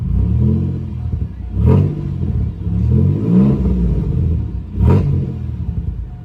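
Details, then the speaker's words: Car with a supercharged 3800 swapped in from a 2006 Pontiac Grand Prix GTP: low, uneven rumble, and throttle blips stumble instead of climbing cleanly; it barely wants to start and the owner says something is wrong, cause unknown, and plans to get a tune. "I'm about to show you again like when I hit on the gas this [ __ ] sound rough as [ __ ]"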